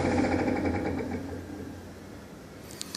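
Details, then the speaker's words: Table saw, normal on last use, running with a new steady knock about three to four per second over the motor hum, fading on spin-down; belts already tightened; bearing first suspected, now belt suspected, unconfirmed. "so you can definitely hear that knocking noise at first we thought it might be a bearing but i don't know it seems to be more belt related"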